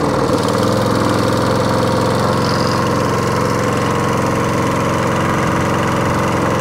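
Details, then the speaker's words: Lawn mower with old-style Briggs & Stratton engine, fuel leak visible, suspected flooded carburettor; single cylinder starts and runs at a steady, even speed with no misses or knocks, normal running. "so hater hey turret runs got a bit of a fuel leak going on"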